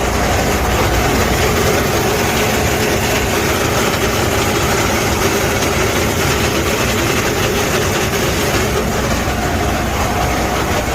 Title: Freightliner cascadia 10 speed transmission loud noise internal damage gear transmission